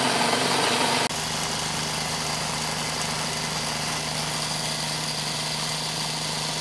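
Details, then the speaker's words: Dewalt D55168 15-gallon oil-less compressor after new piston fitted (worn piston, misaligned flywheel shaft): even fast chug with steady hum and constant airy hiss at about 170 psi tank, 100 regulated; hiss attributed to air past the piston ring. "okay that kind of hissing noise you hear that's the ring so I think we've got about 170 psi just over 100 regulated"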